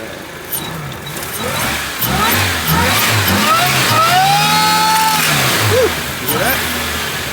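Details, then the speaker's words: 1983 Toyota Sunrader motorhome with replacement supercharged 3RZ four-cylinder, idling; whine rising and falling with each rev over the engine note as the supercharger pulley visibly runs out of true: supercharger pulley wobble. "you guys heard that but I heard that I don't know if you guys can see that that pulley is mad so we need to fix"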